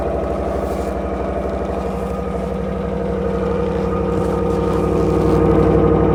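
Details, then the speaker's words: 2022 Ram 1500 5.7 Hemi V8 just after cold start at -24°C (feels -33), not plugged in, unstarted for a week: smooth, even rumble with steady firing beat, climbing slightly; normal cold start. "That sounds good. That's a cold start, baby."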